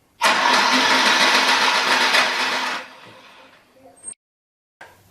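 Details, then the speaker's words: Troy-Bilt self-propelled electric-start push mower with Briggs & Stratton engine: starter spins it fast and evenly, about four turns a second, with no compression thumps; no compression because the exhaust valve seat has come out. "And with the pull start, there is absolutely nothing there. Maybe the valve stuck. The valve broke."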